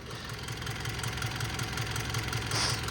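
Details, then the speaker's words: Mitsubishi L200 diesel at idle after major service: steady light ticking about two to three taps a second over the engine clatter, louder from one end; owner suspects the hydraulic lifters need adjustment. "there's two noises to it there's the engine sound and then there's the tapping of the valves obviously they're going"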